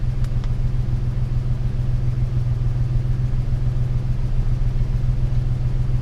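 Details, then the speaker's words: 1998 Ford Ranger 3.0 with unknown swapped engine, after high-idle fix, settling back after a throttle blip to about 896 rpm desired idle, idle air solenoid 23–24%: steady, even low rumble with no misses or knocks; running well. "so that's running pretty well right there"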